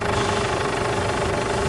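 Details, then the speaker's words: Ford Everest with engine running and steering wheel turned to full lock: steady rushing hiss with a faint whine over the engine, power steering pump strain from dirty fluid. Steering was stiff; noise went away after cleaning. "O ' ba pag sumasagad na yung pagliko ng manibela ni customer ayun yung pinakahuling tunog na maririnig namin."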